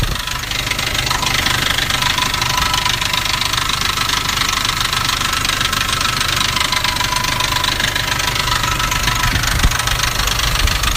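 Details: Nissan Navara D40 2.5 dCi diesel at idle: busy fairly regular rattle, three to four beats a second, that sounded like a dual-mass flywheel; actually a cracked intake manifold.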